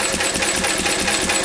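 Quick, even chuffing beat of about six firings per second with a rattly top end, steady and unbroken; the engine runs smoothly and healthily.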